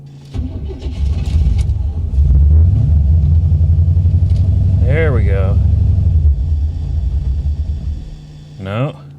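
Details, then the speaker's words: 1985 Chevy Corvette C4, cold engine on a cold morning: the starter churns about four beats a second for a long spell before the engine stumbles and catches; hard cold start, cause unknown. "swamp thing doesn't like to run when it's cold either like swamping not even cold outside just cold if the engine is not warm"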